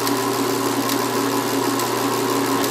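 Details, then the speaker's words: BMW X5 DME powered on with an Arduino crank-signal simulation at about 800 RPM, engine not actually running: a steady hum with light, even injector ticking once the pulses start. Fuel injectors firing normally. "all right right now you can hear the fuel injectors coming on"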